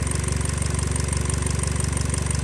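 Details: 2013 Hyundai Elantra 1.8L idling after a crank-no-start was fixed: a low, steady rumble with a fine even pulse and slight roughness, as the engine shakes a little. Idle is acceptable; cam/crank correlation was captured as known-good.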